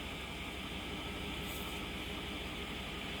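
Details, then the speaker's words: 2008 Chevrolet Suburban after repair of a cylinder 4 misfire that had flashed the check-engine light and caused shaking and power loss: steady, even idle hum with no stumble or shake. The misfire is resolved. "dejar lo mejor ya no tiembla quiere decir que el problema si se resolvió éste ya no tenemos el problema del miss fire"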